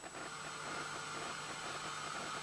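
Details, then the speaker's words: Preamp turned up with the microphone unplugged, only transformers, batteries and balanced cable on the input: steady even hiss from the microphone amplifier, no mains buzz or hum, showing the cables pick up no fluorescent-light interference. "can probably just hear a hiss from the microphone's amplifier that's what the transistors I mean Transformers nothing but the Transformers and the batteries and the cable connected up connected up to the input"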